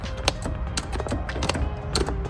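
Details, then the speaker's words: 1972 Oldsmobile Delta 88 power seat, lever pressed: low motor hum with irregular ratchety clicks while the seat barely moves; motor works but something underneath is stopping the track, cause unknown. "it's trying to move but it's not moving I'm going show y'all so that it's actually it's actually not broke something stopping it from moving up under there I don't know what it is"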